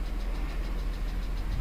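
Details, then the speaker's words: 2007 BMW X3 3.0si petrol idling with light, quick tapping about seven times a second; won't accelerate over 5 mph, codes for Valvetronic servomotor sluggish, intake VANOS, tank-venting valve; source not yet pinpointed. "so we got to find out where this tapping noise is coming from so i'm gonna i'm gonna get a stethoscope see if i can hear where it's coming from so we can pinpoint this because it doesn't sound too good"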